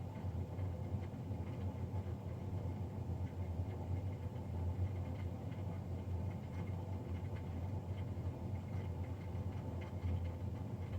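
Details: Navien NCB-240 boiler recorded Feb 3, 2020, three days after a Jan 31 service: steady low rumbling hum and constant droning roar, no pitch change; burner fan abnormally loud, cause suspected, not confirmed.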